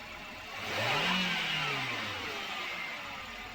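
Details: Engine after a V-belt adjuster replacement to cure a bad noise, started and accelerated: it picks up smoothly, revs rise and fall back to a steady idle with no chirp or rattle; normal running.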